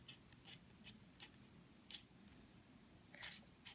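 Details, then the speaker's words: Sherwood SR2 scuba regulator adjustment knob being turned: short, shrill, uneven dry squeaks from friction in the adjustment threads, some trouble closing and opening; thread-friction squeak, typical of new units. "that is the way a brand-new ones gonna sound - pretty much maybe not squeak quite as much but it's gonna have some friction it's gonna have a little bit of trouble closing and opening"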